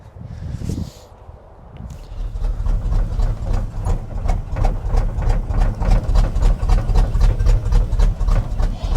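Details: 1976 Chevrolet K20 3/4-ton 4x4 V8 plow truck, sat for years, at slightly raised idle: uneven lumpy thumping about four times a second; running badly, fuel shot from exhaust and raw gasoline leaking, owner suspects smoked spark plugs.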